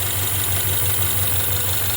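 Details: 2016 Ford Mustang 2.3 L EcoBoost with poorly done replacement engine, 128,572 miles, flashing check engine light: low idle pulsing unevenly, shaking badly from misfire; reused intake broken, cracked turbo pipe found.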